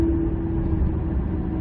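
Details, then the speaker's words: 2005 Ford F-150 with 9.75 rear axle, about 116,000 miles, driving from 20–30 mph up: steady mid-pitched whine over road rumble that persists when coasting and turning, a failed rear differential bearing rather than gear noise. "kind of goes away but it's still there that's how you know it's a bearing noise not just a gear noise you guys are slowing down here and there's no real stress in the gears um it's making the noise even right now while i'm just turning around here"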